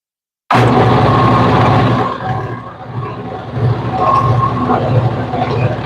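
A loud low roar with an uneven pulsing rumble, a bit under three beats a second, that doesn't settle; something in the drive is running rough. Cause suspected, not confirmed.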